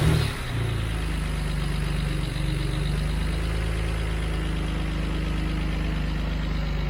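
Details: BMW 335i started after drive belt and pulley replacement and fan reinstalled: smooth, steady low idle with even pulse, no squeal, chirp or rattle from the belt side; normal idle.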